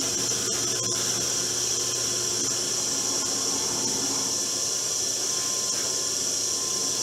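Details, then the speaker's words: Porter Cable PCB660DP 15-inch floor drill press at about 700 rpm, 1/2-inch bit drilling hardwood end grain, fully extended; steady even cutting hiss and smooth motor note with no squeal, after squaring the table and removing bit runout: normal drilling. "you can hear there's no squealing, even though I have it fully extended into the hole. And that is really a result of having the table square and removing a lot of the run out in the drill bit."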